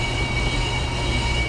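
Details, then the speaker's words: Brake lathe cutting a 2008 Ford Flex 3.5L front rotor, with a broken vibration-damper band: steady scratchy rasp with a thin high ring over a low drone; still cutting high spots until the noise stops. "We'll just listen for that rotor to stop making rotor scratchy noises. And when it stops making noises, that's when it is done and we can set it up for another pass."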